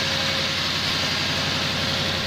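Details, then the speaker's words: Lexus LS400 V8 after replacing auxiliary belt tensioner, idler pulley and spark plugs, air filter back on: even steady idle with no squeal, chirp or rattle from the belt area; normal idle. "there you go it's taken days but we finally got there and I finally got the M Lexus working again good grief the air filter back on it's nice and quiet again"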